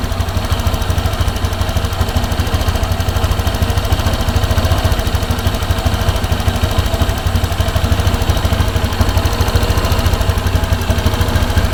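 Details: Honda Vario scooter that hesitated on throttle, after the fuel system was checked from the air filter to the throttle body and reassembled. A steady, even low putter with no stumbling or misfire across twelve seconds: it now runs smoothly.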